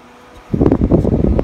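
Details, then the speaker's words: Scythe Slipstream 1600 RPM airflow-optimized case fan running at full speed; steady even rush of air with a soft blade chop, no rattle or ticking; smooth, healthy fan. "and so the noise profile is actually pretty smooth now I wouldn't worry about this man being overly loud"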